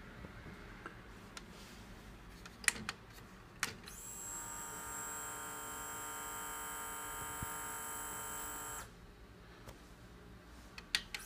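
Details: Sony HCD-H881 1990s hi-fi three-disc CD changer, tray removed: about five seconds of steady high motor whir with no clicks or tray movement; the motor spins freely because both drive belts are broken and melted, before belt replacement.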